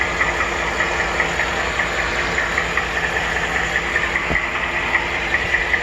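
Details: 2014 Ford F150 5.0 Coyote V8 idling evenly with a light, quick "typewriter tick" in time with the engine. It began around 40k miles, is still there at 80k, and multiple dealers could not find the cause; owner thinks it's at the bottom.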